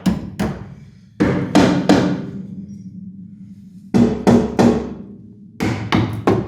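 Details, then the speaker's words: Hammer tap test along a rusty Esarco 8x8 (Land Rover based) chassis rail, four decades neglected: two sets of three sharp taps with a dull hollow ring, not a solid ping; section moves. "that sounded hollow."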